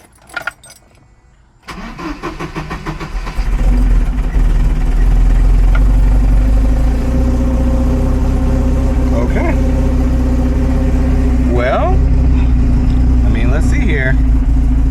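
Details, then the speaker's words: 1975 Volvo 245 wagon 16v turbo, LH2.2 injection, suspect air mass meter unplugged: catches after short crank, fairly steady idle about 800 rpm, more vacuum, revs now but wideband still 8–10. Idle with air mass meter unplugged. "Now, one thing I've seen is that people say if the AMM is bad, I may have called it a math erroneously previously, um then unplugging it will cause it to run and idle better. So let's see if that is the case."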